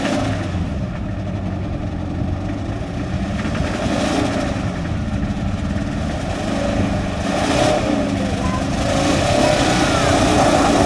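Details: Engine hydrolocked after ingesting water: labored cranking pulsing about four times a second that never catches cleanly as water in the cylinders resists the pistons; fails to start.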